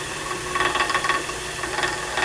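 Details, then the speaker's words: On a lathe, a tool smooths a way-out-of-round bowl blank cut from a board. A light, quick tapping rides over the lathe's hiss, showing the tool catching a flat spot on the blank. "hear that tapping there a little bit? Well, that tells you there's a flat spot right there."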